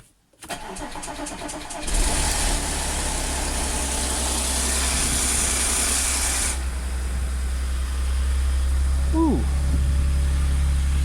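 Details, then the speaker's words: Audi S4 3.0T supercharged V6, first start after driveway repair of jumped bank 2 timing chain (P0016/P0018). Loud metallic rattle over idle for about four seconds then stops, as tensioners had no oil yet; timing chain rattle on start-up. "that noise went away quickly there's no oil in the um tensioners or anything so sounds sounds good"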